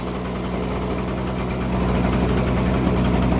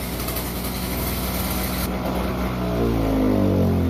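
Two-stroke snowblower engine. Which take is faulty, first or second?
second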